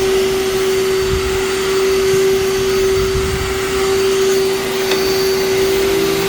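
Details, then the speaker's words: Vacuum cleaner with brush roll in fantastic shape and very loose drive belt: loud steady motor whine at fixed pitch with rushing air, no brush strain; belt slips badly, no burning smell. "thankfully this one doesn't have any belt burning smell it just slips really bad"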